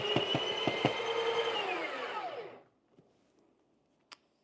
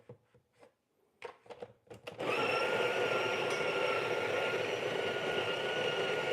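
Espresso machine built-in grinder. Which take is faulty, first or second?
first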